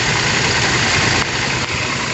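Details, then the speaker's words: Toyota New Fortuner VRZ at idle with AC on, heard at the compressor (lower left of engine): rough steady growl that stays even with AC switched off; worn AC compressor clutch. "kita bisa cek langsung dari sini ya jadi itu kompresornya suaranya jelas banget"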